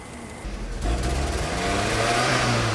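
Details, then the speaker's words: 1989 VW Fox with newly replaced fuel system, running poorly and petering out (owner suspected fuel clog); engine comes up to speed with an uneven, stumbling beat like a cylinder dropping out, judged a misfire; temperature gauge reading nothing. ">> Sounds like a misfire. >> Misfire. >> It sounds like it's got a misfire."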